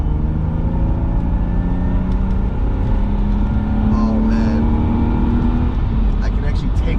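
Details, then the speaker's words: BMW E36 328i with newly fitted full stock exhaust replacing a crushed 3-inch no-cat system: engine revs above 3000 toward redline with a smooth rising, even, muted note, no rasp or blowing; healthy exhaust. "it doesn't sound horrendous so that is a success i finally found an exhaust"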